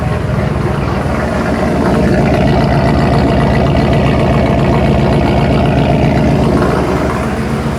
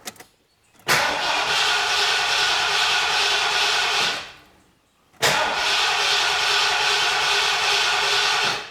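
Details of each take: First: Ford Bronco Centurion 4-door with 460 V8, after MSD Atomic EFI install replacing carburettor: idle air control bringing rpm down, mic at exhaust; deep, even burble, steady pulse about four beats a second, no misses; normal settled idle. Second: Carbureted 460 Ford Bronco with new MSD Atomic EFI, first start: two long cranking bursts of about three seconds each that don't catch, air in the fuel system, before the air purges and fuel pressure reaches 41–42 psi.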